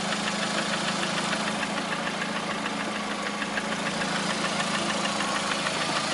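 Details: Lada Priora with 21126 engine at steady idle: light, fairly even tapping about three per second over the engine hum; knock at idle, cause unclear.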